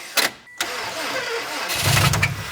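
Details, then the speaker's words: 2007 Subaru WRX STI with a blown engine. It had knocked at 2500 rpm under load and died after a 30-mile drive. A brief, rough crank with a screech and low rumble never catches; a spun main bearing is suspected. "you hear that screechy noise that's the main bearing spinning so they instead of them being two clam shells that click together they actually root over themselves"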